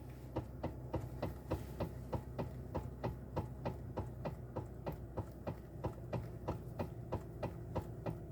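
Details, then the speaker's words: 2013 Toyota Avalon, engine idling, windows up, steering wheel rocked side to side: sharp fairly regular knocks about three a second, worse while driving; broken electric power steering damper coupler (45254-28040). "this is the sound from the vehicle when you turn the steering wheel I mean you move sideways and even it becomes worse when you drive"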